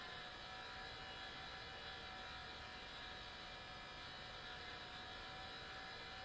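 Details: New Sony Vaio CS11S/W laptop under full load, about 60 dB, cores throttling at 100°C: loud steady rushing hiss with fixed whistling tones from a mechanically faulty cooling fan.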